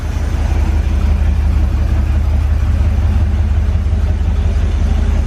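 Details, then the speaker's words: Corvette now on its clean tank with replaced fuel lines, warming up, oil pressure good; deep steady even idle rumble with no stumbles or missed beats; previous misfire gone, running smooth. "Vital and smooth. It ain't missing no more. Sounds pretty nice."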